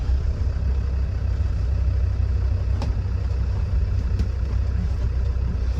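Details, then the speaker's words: Restored 2003 Land Rover Defender 90 TD5 diesel, about 87,000 miles, brake off, into reverse: low even rumble pulling gently, steady beat, no stumble or misfire; starts on the button, no overheating. "Starts on the button. There's no signs of any misfiring, hesitancy or overheating."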